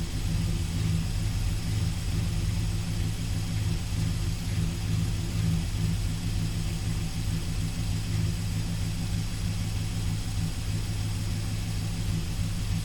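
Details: 1971 Dodge Sweptline big-block, normal idle after carburetor float and power valve rework; crankcase had been filling with gas and rear cylinders hydrolocked. Deep, even rumble with steady beat, no misses or pops, no more smoke from exhaust.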